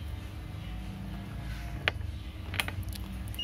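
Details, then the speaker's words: Laptop motherboard capacitor tested with a multimeter on buzzer/continuity mode: over a low hum a steady high beep switches on and holds, continuity across the capacitor, meaning it is shorted/damaged. "jadi nanti jika diukur kok hasilnya bunyi seperti ini berarti menandakan kapasitor rusak"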